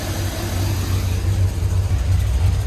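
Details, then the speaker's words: 2nd-gen Dodge 5.9 truck with a nearly new battery, idling with the A/C on while voltage drops to 10.5 V and keeps draining: deep, wavering, stumbling idle that runs very rough from a failing alternator. "i don't know if you can hear but it's running like absolute garbage"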